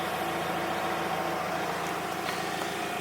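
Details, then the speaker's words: Skoda Octavia vRS with turbo and presumed boost leak problems, cold weather: quiet steady idle with a faint constant hum of unknown cause; thrust bearing knock silenced with clutch pressed in. "i've just had the car running there and it's got this strange humming noise and i don't know what's causing it it's frustrating it is frustrating"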